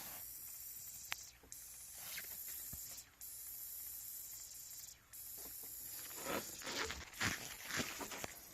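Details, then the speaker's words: Audi C6 A6 4.2 repeatedly blowing fuse #5: steady sharp hiss with bubbling at the connector; cracked, rusty high pressure fuel pump leaking fuel, found as the likely cause. "yep you can hear it hissing there it is right there see it bubbling"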